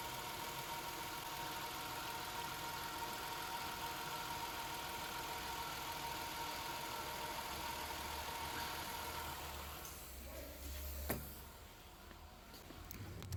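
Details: 2017 Nissan Altima, quiet steady idle with an even hum and no whine or knocking after the whining-on-start-and-acceleration fault was fixed by replacing the oil pan and oil strainer; engine running smoothly.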